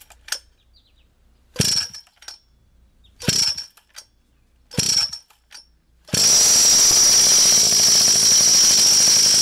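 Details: Pocket bike 49cc/47cc two-stroke after carburetor replacement with new fuel lines, clamps and fuel filter, low on fuel: several short pulls, then catches into a steady high-pitched buzzing run with no misses; normal running.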